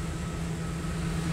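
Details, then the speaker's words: 2005 Ford F250 Super Duty 4x4, 6-speed manual, Triton 5.4 V8, idling in neutral with oil pressure after a starter replacement and oil change: steady, even low rumble with no knocks, ticks or squeals. Normal idle. "Everything looks good. Sounds good. Excellent work."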